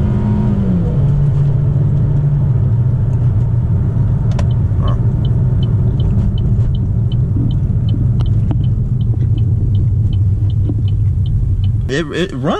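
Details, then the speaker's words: 2015 Buick Encore 1.4L Ecotec with many check engine codes: low steady rumble at idle with a faint unevenness; runs well but idle slightly rough, not as smooth as it should be; cause still to be found (catalytic converter considered). "It actually runs good. The idle is a little bit rough. Not terrible, but you could feel that it's not idling smoothly as smooth as it should be."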